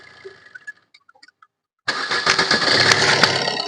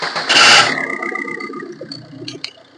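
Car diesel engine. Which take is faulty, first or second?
second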